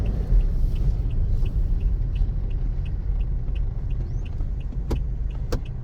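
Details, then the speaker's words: Second-hand Toyota Innova, final check before release, driving over a rough road listening underneath: low steady road rumble with only faint taps, no clunks or rattles; suspension solid, bushings still tight, no vibration inside. "Ito, solid oh. Solid ang pangilalim oh. Wala man lang kalampag."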